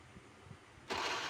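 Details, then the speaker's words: Honda Beat FI that died suddenly, owner found oil dry: starter cranks with a steady whir, engine never catches; kick-start very light, no compression; crank no start. "Nah ini coba saya engkol Nah dari sini saja sudah ketahuan ya teman-teman ini kompresnya enggak ada jadi tanda kompres lemah itu dia kalau di engkol itu sangat ringan sekali ya teman-teman"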